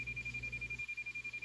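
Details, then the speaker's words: President Washington radio's built-in SWR meter tone while transmitting: a high-pitched beep pulsing about ten per second, the beeps speeding up as SWR improves toward 1:1, when the tone goes solid; antenna close to matched. "So this is very handy for when you're trying to tune your antenna from outside the vehicle, turn the volume up all the way, whatever. And you're gonna listen for the tone to get, the beeps to get faster as we get a better SWR."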